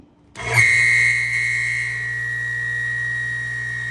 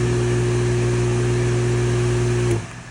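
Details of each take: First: Harbor Freight 1 HP water pump from an off-grid cabin, previously run dry, drawing over 5000 W at start, run dry on bench: motor hum under a piercing steady high screech until switch-off; dry, seized shaft seal. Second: Harbor Freight 1 HP well water pump, formerly noisy and drawing over 5000 W at start, after teardown and oiling its worn rubber bushing: a steady, smooth motor hum with no squeal or grinding, then a clean shutoff; normal pump run.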